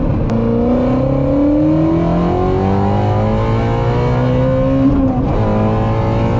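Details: Ford Mustang GT350R after new tune from Palm Beach Dyno to fix a long-standing issue, advanced track mode off: hard full-throttle pull, pitch climbing smoothly, clean drop and climb on the shift; driver says it's ripping, way different.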